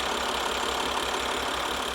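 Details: Maserati diesel bought from Copart, idling after first start following a flat battery, with an oil change done: a steady, even diesel idle with a smooth clatter and no misses or stumbles. The engine sounds healthy and settled.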